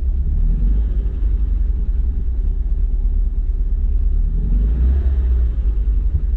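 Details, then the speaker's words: Alfa Romeo 33 carburetted boxer engine in poor condition, running badly; deep, uneven rumble that surges and sags under load with no clean rhythm; the owner suspects worn piston rings. "vâng, hoàn toàn tốt hơn khi nói rằng đó không phải là một dấu hiệu tốt cho lắm, chúng tôi thực sự đang phải đối mặt với vấn đề phân khúc"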